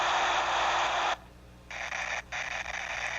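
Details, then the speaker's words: Hear the crackling? Dense hissing crackle as a hydraulic directional valve cycles open and closed, fluid leaking internally across between the spools, detected with ultrasound. "Hear the crackling? That's a directional valve leaking across."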